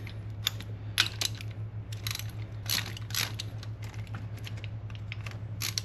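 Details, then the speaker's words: 1990 Chevy K1500 engine rebuild: a pushrod is turned by hand while setting zero lash, giving light irregular clicks that show remaining up-and-down play; adjustment continues until the play is gone. "If you can hear that clicking sound, it means it's still got a little up and down play in it. So we just keep going."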